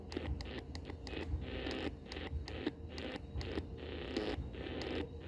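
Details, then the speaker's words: SAYIN SY-8801 portable AM/FM radio on the AM band near home: irregular crackling bursts and buzzy patter over a constant hiss, spread across the whole band and impossible to reduce. Interference source unconfirmed; owner suspects a nearby 3 kW local station. "Esse ruído que vocês estão ouvindo, ele se expande por toda a banda. É um ruído bem perceptível em qualquer lugar aqui que eu andei um pouco na volta da minha casa."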